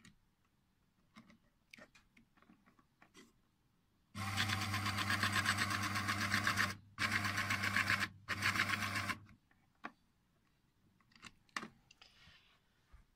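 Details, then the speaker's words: Raymarine ST1000/ST2000 tillerpilot ram whirs and clatters harshly on outward thrust: bearing retained only by small plastic disc floats 2–4 mm, letting shafts float and drive belt misalign; fix is a small aluminium washer. "you can see here that it floats 2 to 4 mm uh that creates your noise and it also allows the belt to go out of alignment and that's the problem we're dealing with in this case the floating of the bearing"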